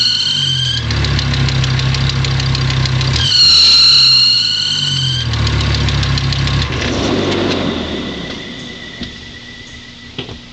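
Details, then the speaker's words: 1989 Audi 200 2.2T Quattro at start-up and idle: a high, steady squeal that peaks just after starting; the alternator belt is too loose and slipping, and it is starting to wear, with adjustment via the alternator's adjusting nut. "hey guys today we're gonna be trying to fix the squeaky alternator belt on my 89 out of 200 I'll just give it a start up so y'all can see that it does squeak"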